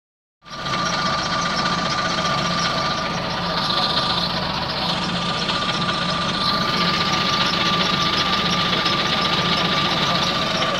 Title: London bus engine squeaky noise